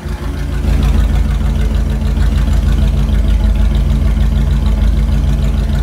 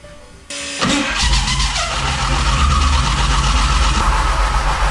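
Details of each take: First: Gen 1 Hemi V8 on an engine dyno: deep, steady idle with an even lope of about three beats a second, no ticks, knocks or rattles; sounds healthy. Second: Gen 1 HEMI engine (expected about 140 hp, two-barrel Bendix/Stromberg carb) on a dyno with makeshift flywheel and starter setup: harsh metallic grinding while cranking, then it starts and runs loud; starter pinion doesn't line up with flywheel, needs shimming.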